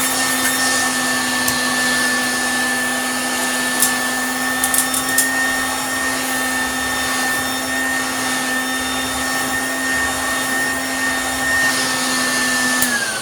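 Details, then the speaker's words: Hoover Junior U1034 Exclusive vacuum running with the belt off: a steady, even motor hum with a constant high tone and no rattle or grinding; really smooth, though the front bearing might be a little dry. "actually for what it is it's really smooth it's actually not bad at all so running it with the belt off your front bearing might be a little bit dry"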